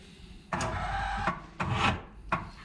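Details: Kawasaki 1100 ZXi jet ski being test-started out of water before the exhaust was installed: three short starter whirring bursts with no firing; a dead battery was found, and the description notes a toast stator and bad CDI.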